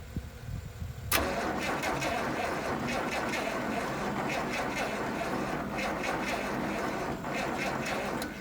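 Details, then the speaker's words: 1972 Massey Ferguson 1100 diesel tractor, 94 hp, long abandoned, jumped from a Chevy truck; starter drags the engine over slowly and unevenly for several seconds without firing; weak battery, slow cranking. "I need like 5 more batteries in it."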